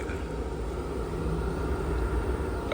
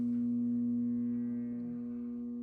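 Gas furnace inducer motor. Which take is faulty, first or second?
second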